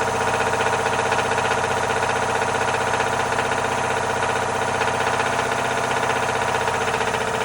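Engine running steadily with a fast, fairly even ticking, about four per second, riding over the noise; an engine knock of unknown cause.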